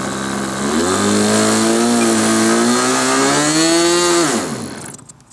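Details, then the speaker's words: Model glow engine on a restrained SIG Kadet LT-40 RC aircraft during break-in, after priming: climbs unevenly, burbles and sags before cutting out; mixture too rich. "when I turned the camera off I sat and thought about it a little and um realized that uh what was going on um was it was too rich"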